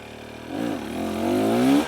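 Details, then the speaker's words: 2023 KTM 300XC TBI two-stroke ridden near idle without clutch: clean even exhaust note rising smoothly under load without stumbling; pulls really well off the bottom. "can hear it it pulls really really well right out the bottom and uh that's no clutch"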